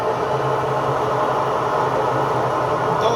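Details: Electrolux washing machine on an empty spin cycle: a loud, steady rushing drone with a low hum that sounds like a bad bearing. The cause was a loose agitator, fixed by tightening it with a dedicated agitator key.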